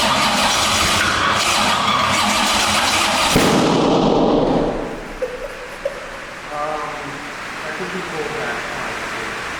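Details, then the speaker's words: C6 Corvette drift build, 427ci single-turbo Gen III LS, first startup, starter on separate battery after ECU voltage drop: harsh ragged cranking ends in sharp backfire crack; no start, swapped cam sensor wires suspected. "so at this point we're sure something's wrong i tried honestly more times than i should have usually if a car doesn't start or does backfires like that yeah the cam sensor wires because on certain models they're different on gen three"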